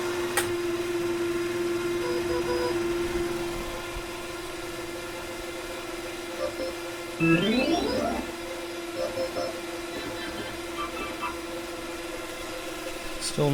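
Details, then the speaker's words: 1960s Hammond M101 organ, unplayed for many years, tone generator after oiling and start button: steady hum with rough rattling uneven ticking; noisy tone generator still dry while oil soaks in, sounds like a bad bearing. "that sounds like a bad bearing not good"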